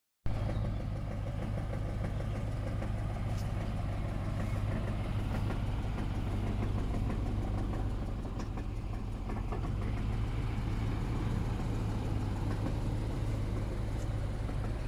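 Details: Range Rover P38 4.6 V8 idling with a dull, fairly regular knock about three a second under a deep rumble, with power loss, misfire and oil turning charcoal within months; owner suspects big-end bearings or piston rings.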